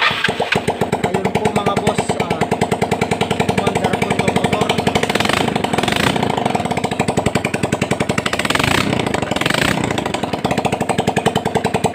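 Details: Yamaha Mio Sporty scooter brought in not running, after air cleaner cleaned and carburetor checked: putters steadily at idle with an even, rapid firing beat for the whole run. Normal idle.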